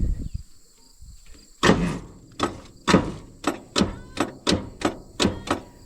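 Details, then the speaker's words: Allis Chalmers HD6 crawler, last run about five years ago and sat in a barn, cranked over: slow, uneven cranking with heavy compression thumps about two per second, labouring and stalling at a hard spot; engine binding. "she hits a hard spot right there. So, it did crank over to where I stopped it at."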